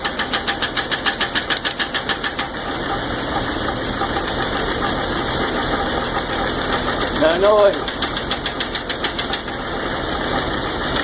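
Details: 1999 Jeep 4.0 idling with a fast, light top-end tick of about three and a half per second. Pressing on the #5 exhaust valve stops it briefly, and the owner is unsure whether that lifter is collapsed or stuck.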